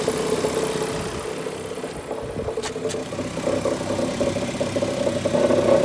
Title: E46 m54 strange knocking/rattling sounds